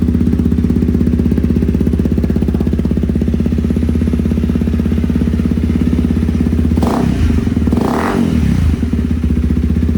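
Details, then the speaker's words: Honda CRF300L with a budget eBay aftermarket muffler, just after repacking it with fresh fiberglass. A steady, loud, deep idle with an even low thump and no misses. The exhaust is still pretty loud after the repack. "still pretty loud. Uh I don't know if that really was uh worth doing on this one. Didn't seem like it really quiet it down much."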